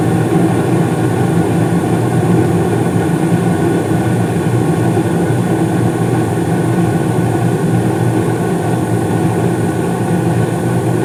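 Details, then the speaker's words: 2016 Carrier gas furnace (first floor), five years old with no issues, starting up: steady even rumble and airflow with no rattles, knocks or squeals as the blower kicks on; normal furnace startup. "and of course you probably didn't hear it but right there the uh blower just uh kicked on"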